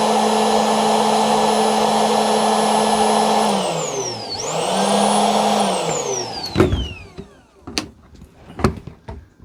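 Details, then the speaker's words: Reference sound of a healthy secondary air injection pump motor, related to code P0410, which should run about 1 to 3 minutes at start-up. A steady vacuum-cleaner whir that winds down, restarts briefly, then spins down cleanly; a failing one clacks or grinds. "So, this is how a normal secondary air injection pump motor should sound like. It should sound kind of like a vacuum cleaner."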